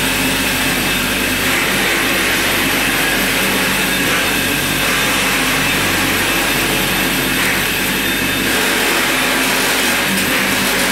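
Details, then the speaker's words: Murray gas riding mower converted to electric, ME-1004 motor on a 44–48V Chevy Volt lithium pack, run at setting 36 with the deck on, driving forward and back: steady even high whine and hiss from the hydrostatic drive, normal with no knocks. "noise you're actually hearing is the transmission or the hydrostatic drive"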